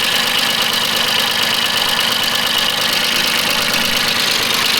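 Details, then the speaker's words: Mitsubishi MT200 Japanese diesel mini tractor after an engine overhaul, with run-in completed and no breather smoke, idling in the field while plowing. Steady diesel clatter at an even idle, with no knocks or hunting over hiss; the engine 'whispers' and sounds healthy. "Супер. Шепоче двигун."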